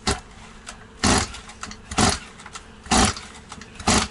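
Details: Stihl 180 chainsaw after piston and crankshaft seal replacement, carburetor and tank empty, choke closed: about one rasping pull-cord stroke per second, good compression but never catches; too much oil in cylinder, started once a little petrol was sprayed in.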